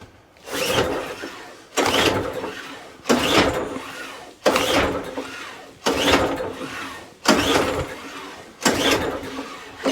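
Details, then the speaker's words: Old scrap-pile Mountfield Empress roller mower, choked and freshly fuelled before repair: seven pull-start attempts about every 1.4 seconds, each a brief whirr that never fires; needs carburettor work. "she's not ready for that yet mick so we've got a bit of carburetor work to do"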